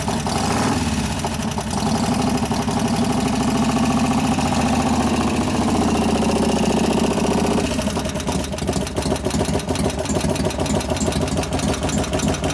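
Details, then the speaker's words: 1988 Harley FXR V-twin after cam change and pushrod adjustment, idling in neutral: busy fast clatter about three per second over the lope; hydraulic lifters not pumped up, possibly a couple, maybe slightly louder at front. "It echoes so much you can't tell where it is, but there might be a couple of them going, I can't tell."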